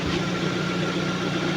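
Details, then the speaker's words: Lada Priora engine after piston replacement, warm at about 55 degrees: quiet, even low hum at idle with no knocking, piston slap or dieseling that was there before; healthy idle. "Ну, по сравнению с тем, как он долбил, он просто дышит и шепчет. Я не знаю. Это, наверное, самые тихий."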